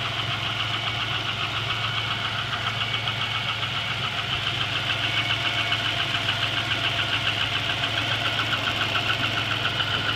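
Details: GM 3800 V6 with 237,000 miles at idle with a sharp metallic tick about three to four per second; started the night before, owner suspects a collapsed lifter, unconfirmed.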